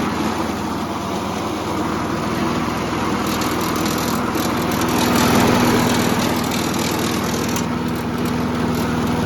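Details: Old Briggs and Stratton mower after carburetor diaphragm replacement: engine drones steadily with a light, fast metallic rattle on top; a loose front piece is hitting the blade, not the pull start.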